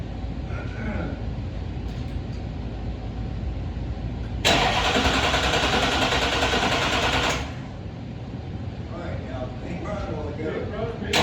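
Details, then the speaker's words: 1971 Chevy C10 with a swapped-in Duramax diesel: starter churns steadily about three seconds with a hissing rush but it never catches; crank-no-start, likely out of fuel after the fuel filters and lines were left loose; grounds later found misplaced. "We had all the fuel filters loose, the fuel loose. It's probably out of fuel."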